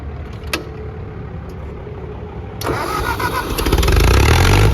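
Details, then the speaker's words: Ford 601 Workmaster tractor, 40 horsepower gas engine: starter grinds briefly, then the engine catches and settles into a steady, even beat that builds smoothly; clean start, it's a runner. "yeah, it's a runner."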